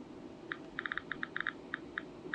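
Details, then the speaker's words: Geiger-Muller radiation monitor, used with a Panalytical Aeris, held to its beta check source; sharp, irregular clicks at about 10 counts per second over a quiet room; counter working normally. "the next thing we need to do is open the back of this and you will see we have a beta source here and can you hear the clicking and you can see the counts have shut up"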